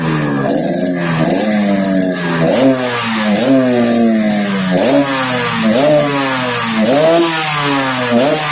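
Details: Yamaha RX King two-stroke, second test, repeated blips climbing and falling with a raspy snoring drone under each rev; abnormal snoring noise, carburetor noted slightly wet, cause unknown.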